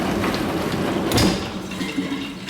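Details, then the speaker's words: GE dishwasher makes a racket while draining: drain hum with an uneven, coming-and-going rattle and grind that worsens, from a loose foreign object bouncing around in the sump. "so the dishwashers making up a racket here's something bouncing around in there especially when you drain it"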